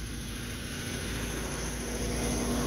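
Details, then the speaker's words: Unmodified old Toyota truck, in neutral, clutch pressed: engine starts and revs smoothly with a steady rising drone, no knocks or ticks; normal. "turn the key press our foot on the dash or clutch sorry and the engine revs up just like it should"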